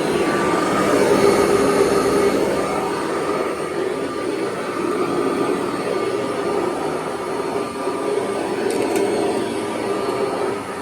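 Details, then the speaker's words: 1982 Kirby Heritage 1 upright vacuum running: loud steady motor roar with a faint slapping pulse about four times a second underneath; owner suspects a worn belt needing replacement, not confirmed. "So I am going to have to replace that belt though it sounds like."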